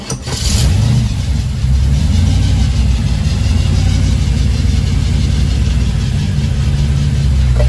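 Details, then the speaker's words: 1932 Ford 3-window coupe with a 6-71 supercharger, on first run of its Holley Super Sniper fuel injection: deep, lumpy rumble settling into a slow, loping idle that is too low and needs raising. "not bad for a first time i think the idol needs to be uh sped up a little bit she's a little slow on the [Music] idler"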